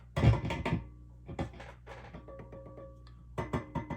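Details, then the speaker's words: Sound City L100W MKIII tube guitar amp on the bench, chassis and knob tapped: each tap returns through the speaker as a hollow ringing clunk that hangs on; all four preamp tubes very microphonic and noisy, likely explaining background hum. "Something's microphonic though. We'll find out what it is. All of the preamp tubes are incredibly microphonic."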